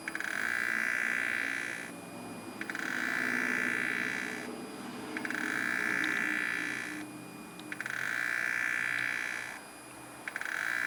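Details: BMW N54 electric water pump failing after gas pedal held 10 seconds to trigger pumping: high, steady screech in bursts about every 2.5 seconds as the pump tries but fails to push coolant to the reservoir; pump is toast.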